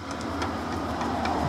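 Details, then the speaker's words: 1967 Mercury Cougar rear quarter window regulator: the aftermarket Dorman unit, about a year old, is cranked by hand and gives a choppy, gritty grinding with catches. The over-50-year-old original is much smoother; the aftermarket regulator's gear is binding. "and then this one here let's try it with the handle I just I can just feel it's just kind of choppy but more importantly"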